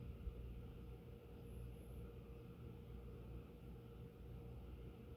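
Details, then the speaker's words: Phil Frey antique brass oak-leaf ceiling fan with Hunter 6-blade adapter and 38" Homestead blades, run without oil, at low speed: soft steady hum with no ticks, scrapes or wobble; running quietly. "well it's quiet"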